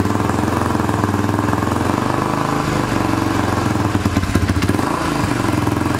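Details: 2006 Honda TRX300EX quad, single-cylinder, started cold after exhaust stud fix and starter one-way bearing work; rapid, even putter with slight cold unevenness settles steadily, no knocks or rattles; normal cold idle.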